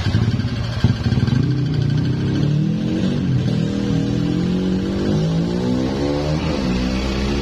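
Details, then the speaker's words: Yamaha X-Ride scooter that had a harsh noise from the middle of the engine, idling after the low engine oil was topped up: smooth, even idle with a light rev, rough rattle gone; the noise was caused by low oil. "ya suaranya hilang Jadi benar gara-gara oli yang sudah sedikit ya"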